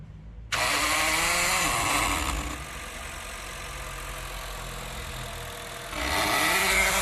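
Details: Honda Fit running weak and misfiring: harsh raspy mechanical buzz at ignition/start-up, gone at idle, traced to the electronic throttle body (butterfly body), not the engine; forced limited RPM.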